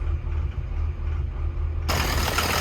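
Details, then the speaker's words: Construction machine diesel at idle hunting unevenly with no steady beat; rail pressure erratic and above set point, leak-off from the fuel rail relief valve shows the valve not sealing, after earlier failed repairs by others. "right so you can see here this is the leakoff Tye from the reil boring out that real relief Val's no good"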